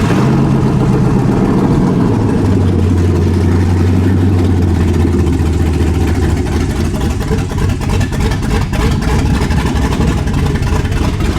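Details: 7.3 Godzilla V8-swapped 2015 S550 Ford Mustang after fixing body control module no-RPM-signal issue, with new Holley exhaust: fires and settles into deep even burble, no knocks or misses; running normally.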